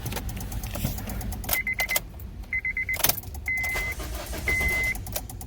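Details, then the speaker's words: 2007 Honda Civic after an engine swap: key on, chimes beep and the blue main relay under the steering wheel clicks but the engine won't crank; cause was an unconnected engine-head ground, and it started normally once grounded. "won't turn that clicking noise comes from this relay right here blue relay right there that's the main relay okay"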